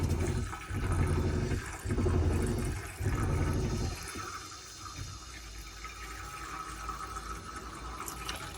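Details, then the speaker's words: Majestic 105 caravan water system, inline pressure pump already at pressure: steady rush of water at the tap with early gurgling as the boiler tops up with more water; pump silent, working normally. "it's just getting a little bit more water in the boiler basically. So the boiler just filling up with a bit more water basically is what that's doing."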